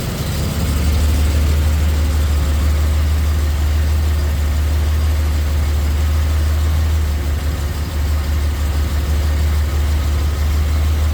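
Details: 1971 Jaguar E-Type V12 fuel-injected, first cranking after a two-year rebuild, throttle body not yet adjusted: deep steady idle with a slightly uneven, lumpy pulse, running rough because three injectors were not connected; smooth once connected.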